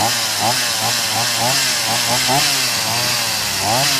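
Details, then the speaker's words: BERALA BL-29X chainsaw that wouldn't start, fixed by adding a little fuel, priming pump and switching on; high buzzing two-stroke note rising and falling cleanly with throttle, keeps running; starts and runs normally. "แค่นี้ก็ติดครับเดี๋ยวเราลองดูอีกทีครับ"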